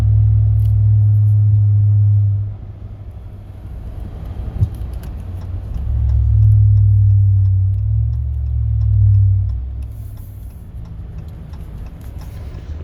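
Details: 2019 Ram truck, one year old and bought new, driving: deep booming drone in the cab swelling and fading with speed; low-frequency cabin drone present since new, dealer unable to replicate or fix, source undetermined.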